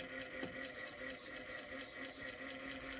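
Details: Ford Model A generator run off the car as a motor on bench power: soft, even hum with light whirring and faint steady brush ticking, no grinding or knocking; generator runs normally, speed changes as third brush is moved.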